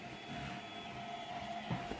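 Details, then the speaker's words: TronXY X1 3D printer printing after its control board was moved into a printed base case. Quiet, steady stepper hum with a soft whine and light movement chatter, no grinding or clicking. Much quieter than before, maybe because the base absorbs vibration: normal printing. "but this is much quieter I don't know why maybe it's all the the the print is have absorbing all the absorbing all the vibration but it sounds much quieter than it did before"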